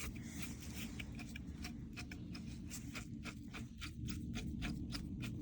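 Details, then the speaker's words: Bissell PowerForce Helix vacuum brush roll, turned by hand, gives scratchy, uneven clicking from dried-up bearings. The brush roll is being replaced, and the belt along with it. "dried up bearings supposed to sound like like that now it's good time to change out the belt too"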